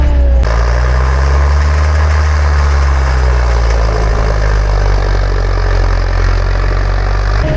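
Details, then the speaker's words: Diesel amphibious ATV being driven with its steering stick; heavy, low drone that sags and never picks up, labouring as the engine bogs under load, lacks power to turn and belches black smoke. "Doesn't have enough power to turn. Look at that."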